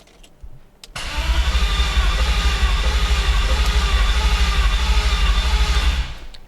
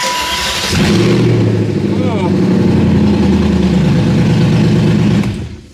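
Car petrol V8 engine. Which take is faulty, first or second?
first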